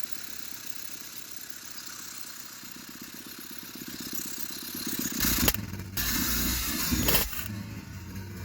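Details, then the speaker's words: Triumph Spitfire, first start in about 25 years after correcting distributor timing, on starting fluid with throttle propped slightly open: quiet, fairly even fast-idle putter, then a couple of louder blips; running steadily. "boom first start in 26 years i believe wow wow wow idle just a second ago it just needs to be propped open just a little bit there it is"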